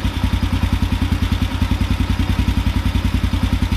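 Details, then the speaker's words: Carburetor idle drop procedure at idle: after the mixture screw is backed out a quarter turn, the rpm picks up and holds steady. The idle is an even, steady thump of about 3.5 beats a second, with no hunting or stumble, at the sweet spot. "here when they kind of picked up a little bit now it's just kind of holding right there"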